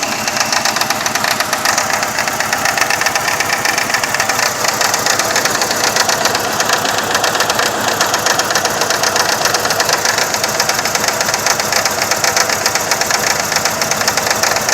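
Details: 2000 Saturn SL2 with rough idle that dies in gear, after replacing plug wires and the #1 spark plug helped slightly: uneven idle with busy ticking chatter and irregular stumbling beat; misfire, owner considering plugs and coil packs; cause suspected, not confirmed.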